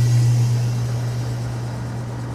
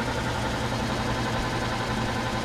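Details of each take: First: Antique Frigidaire W-5 refrigerator compressor just after charging, about 150 psi high side and 50 psi low side, cooling the heavy evaporator down: strong steady low hum slowly sagging in level; compressor labouring under heavy load, owner hopes the motor doesn't stall. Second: Antique Frigidaire W-5 refrigerator condensing unit after charging, cold control turned up and started: steady even low hum with soft mechanical churn, no knocks or rattles; nice and quiet, normal compressor running.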